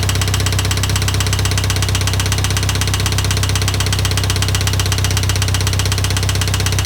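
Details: IH 2544 tractor: a loud, regular knock about four times a second pounds through the idle; an engine knock whose source is still undetermined.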